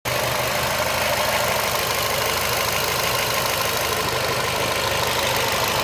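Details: Renault Fluence 2012 at steady idle: faint, irregular tapping about three per second over the engine hum; strange engine noise, cause unknown.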